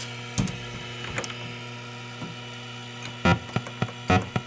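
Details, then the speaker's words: Asteroids arcade PCB being tested with a coin-up and game start: a steady mains hum with sharp irregular clicks/pops where the fire sound should be. The fire sound is missing and the board's fire sound circuit is faulty. "we're missing fire. Hear the click. We are missing fire."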